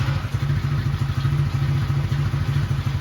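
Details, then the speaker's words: Chinese ATV quad after rewiring, plastics off, battery now connected correctly, fuse not needed changing; low even thumping putter of a small single-cylinder engine at steady rate, no knocks or misses; normal idle. "So I hooked the battery up right this time. I didn't have to change the fuse."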